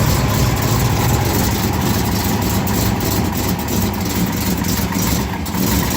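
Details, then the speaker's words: 1970 Dodge Challenger convertible V8 (aftermarket dual-feed Holley, electric choke, replaced alternator), just started with water temperature not yet up and oil pressure about 70 psi. Loud idle with quick light ticking from an exhaust leak on one side, plus mild, not-serious wrist pin noise. "Wrist pin noise. You may hear a little bit of wrist pin noise down there. It's not too serious."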